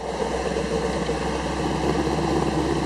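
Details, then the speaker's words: 1931 Phaeton engine after a rebuild, with a double-hitched header and a tune: smooth, even low rumble at idle with a steady beat and no ticks, misses or exhaust puffing; a vacuum problem may still need checking. "they got hit all the punch list it's got a nice Idol sounds good"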